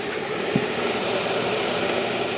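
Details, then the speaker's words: Pel Pro 130 pellet stove, newly replaced exhaust blower motor (old one noisy and dirty), running after install with nothing hitting it: smooth, even whirring with no knocking, rubbing or rattle; normal blower running. "It's looking good, it's running good, nothing's hitting on it."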